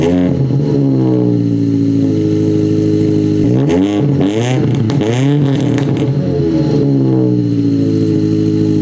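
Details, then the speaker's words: Ford Focus SVT first start after Truebendz catback install, catalytic converter gutted: smooth, even exhaust note climbing and falling cleanly through several revs, settling to steady idle; healthy, fairly quiet exhaust. "yeah as you can hear right now it's pretty quiet on the exhaust"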